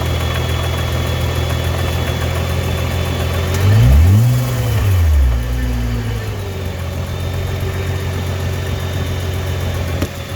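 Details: 2015 Nissan GT-R R35 at idle: a steady low idle broken by an occasional sharp clunk that can be felt from the seat, with one quick rev between. Owner wonders if it is gearbox, clutch or exhaust; cause unconfirmed.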